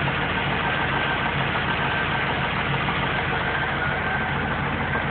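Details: Engine idling with a dull, uneven knock of undetermined origin, about four months after an oil change, oil level found low; owner suspects the heads or lifters, mechanic says rod knock.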